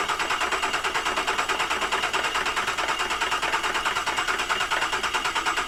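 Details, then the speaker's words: Rodeo engine after a crash with no oil pressure, cranked with coils disconnected to check timing chains: even cranking just over two beats a second with metallic rattling whirr and no firing; owner suspects chain guides, unconfirmed. "I think that might have just been the um fing chain guides cuz it had no oil pressure no G or anything"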